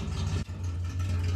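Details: Ford Mk2 Escort back running after two cylinders stopped firing (ECU fault), with a cheap, very worn exhaust: low, even idle with deep exhaust rumble and no stumbles; normal idle.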